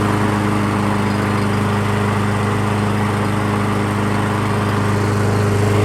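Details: Craftsman Gold Series lawn mower, Briggs & Stratton 6.75 engine, after carburetor cleaning (stale fuel), running outside: steady even drone, no misses or surging; normal running.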